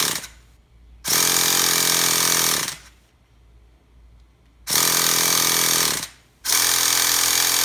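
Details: Crank no start on a Traxxas T-Maxx 3.3 nitro engine: three long buzzing starter bursts spinning the engine, none catching or running on its own.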